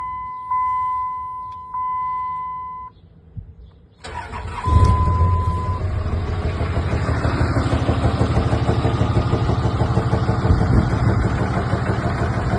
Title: 5.9 Cummins bad injector or knock 🤔🤔